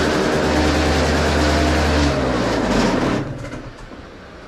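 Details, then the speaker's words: 2003 Derbi Atlantis two-stroke after a Trail Tech Vapor and handlebar install: a fast, steady buzzing idle that never drops to a low tickover before dying away. It suddenly idled too high for unknown reasons and needs tuning. "now I need to do some tuning on this bike I don't know why it idled up all of a sudden but let's try and Crank It Up"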